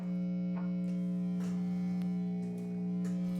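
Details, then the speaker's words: Loud steady low 60-cycle mains hum through a 5-watt single-ended tube amp prototype during voicing on the bench, picked up by single-coil guitar pickups; recorded raw into a phone. "60 cycle hum yes I love single coils"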